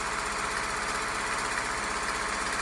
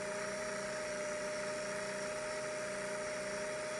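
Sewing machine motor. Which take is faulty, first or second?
second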